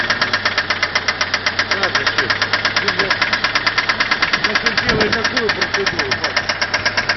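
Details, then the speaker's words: Mitsubishi 4G63 engine, sudden cylinder-head clatter that began at idle in neutral at a light: sharp even tick about three times a second over steady idle, unchanged; top-end knock, hydraulic lifters suspected, not confirmed. "Прям долбит, сильный, ничего не изменилось. Как работал, так и работает."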